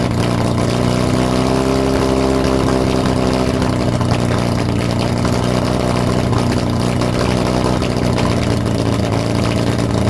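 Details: Lotus Europa Twin Cam, 123 Ignition distributor, Stromberg carbs, after distributor adjustment: throbbing, uneven run with a low drone and rasp on top. Rough running, though carbs spit less than last time; timing and valve clearances suspected.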